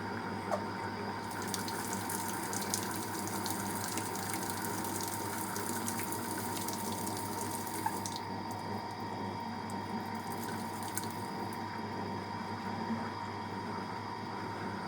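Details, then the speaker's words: Fisher & Paykel Smart Drive washer, spray rinse: steady hiss of cold water spraying over a soft motor hum as the drum speeds up and slows a little, no knocks or grinding; normal. "so now we're doing the spray rinse it's going to speed up and slow down a little bit um continue to spray cold water in there"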